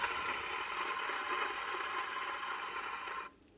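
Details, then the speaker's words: Hitachi/Hikoki P20SF electric planer during teardown: dry gritty rasp as the drum spins by hand, then stops; two drum bearings are worn out, others also worn, all being replaced. "these two bearings are gone these ones aren't as bad but they're still not good so we'll change them as well"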